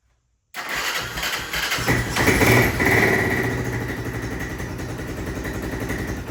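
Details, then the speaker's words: 1996 Honda FourTrax 300EX ATV with airbox disconnected, after fixing the no-start: cranks, catches, revs briefly, then sags into an uneven, lumpy idle that won't settle; owner suspects the junk carb and missing airbox. "So, as you can tell, it does start up. Um, it does run, but it won't stay idling. Um, I definitely think that's because either our car is junk, but also because we don't have our airbox hooked up."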